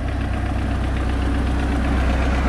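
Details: Mercruiser inboard boat engine after starter solenoid replacement, starting first try without pumping throttle: smooth, even low rumble at idle with steady beat, nothing knocking or missing; healthy.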